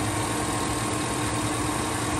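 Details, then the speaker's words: 2007 Chevy Tahoe V8 idling after fixing a cylinder 7 misfire (P0307) caused by a collapsed AFM lifter, with AFM deleted and ECU reprogrammed: low even rumble, steady beat, no stumble, shake or ticking. "y'all saw this engine running last time it was all shaking and shivering and going on got my computer in and she running good"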